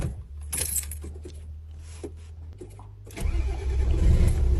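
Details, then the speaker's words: Diesel vehicle with no batteries, unused for about 3 years, jump-started with a portable 12/24 V jump starter set to 24 V: keys rattle, engine fires at once into a deep steady diesel rumble; starts straight up, no problem. "straight up no problem at all"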